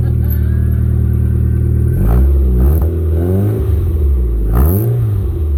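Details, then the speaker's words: MG ZR after fitting a newly fabricated, freshly welded rear exhaust back box, first start-up out of gear to check for leaks: steady deep idle with two clean throttle blips, no puffing or ticking, quieter than before; healthy exhaust. "Sounds sweet, doesn't it? Sounds quieter than it did fucking this morning."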